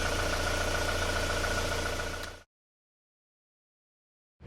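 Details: Before repair of a 2001 Isuzu Panther diesel with blow-by, heavy smoke and a rough piston noise; compression read 23 bar. Rough idle with a steady knock of about three or four a second over the rumble, then it cuts off. Worn pistons slapping, with blow-by and low compression.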